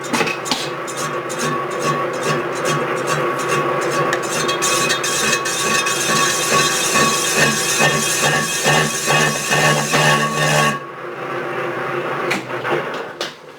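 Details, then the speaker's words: Lathe turning a cast iron clam-pump impeller OD, about 20 thousandths per pass: rattling chatter about two hits a second with ringing tone; setup not rigid enough, needs stouter setup. "And you can hear the vibration, and I just need to set this up a little stouter. Seems like if you feed it fast, you get a above the amount of chatter."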